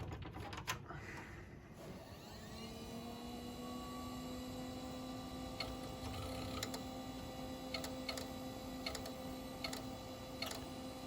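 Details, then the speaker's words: 6 GB hard drive, presumably from an iMac, spinning up: a whir rises to a steady hum, then sharp uneven ticks come about once a second. The drive ticks on spin-up and is judged toast from the sound; jumper possibly not transferred. "yeah that drives toast just based on the sounds that it was making that did not sound so good"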